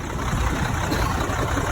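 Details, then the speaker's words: Cummins-powered Sterling semi, sat 8 years, running after cooling system refilled with water (low coolant had been tripping level-sensor shutdown); radiator leaking: low, steady diesel rumble, even idle, no knocks or misses. "So I had to walk a 5-gallon bucket full of water out here 4 times to fill the cooling system up. Radiator's leaking, but now she's running."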